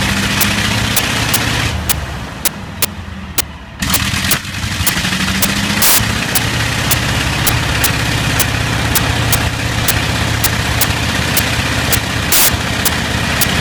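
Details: Bristol Hercules radial aircraft engine running with sharp, uneven pops roughly every quarter second and a dip early on; slight misfire.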